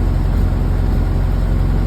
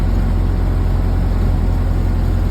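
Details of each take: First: 1931 Model A Ford four-cylinder, first start after an engine rework with a new Snyder 5.5 head, has a low, even idle; rpm slows, then firms up as the spark lever is advanced. It runs healthy, with oil pressure noted as low. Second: 1931 Ford Model A four-cylinder after engine rework with new Snyder 5.5 head, not yet hot, part throttle: steady chugging slows as the spark timing lever is retarded, picks up when advanced; rpm dropping from retarded timing.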